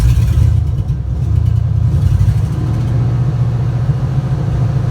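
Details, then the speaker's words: Junkyard GM 5.3L V8 for a 1955 Buick Special build, idling at about 500 rpm: deep slow rumble with uneven lope and occasional skip, clearing up slightly; single-cylinder misfire, later traced to cylinder 7. "she's idling right down at 500 could be a little bit of a skip starting to get a little better now starting to clear up"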